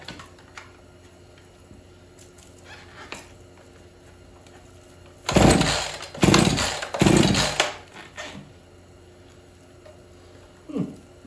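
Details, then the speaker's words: Husqvarna 445 chainsaw unused for over 10 years, first start attempts: short raspy revving bursts that die within a second each, won't stay running, seems to need more throttle; stalling after start. "seems like it needs a little more throttle but it won't stay locked in it's kind of weird"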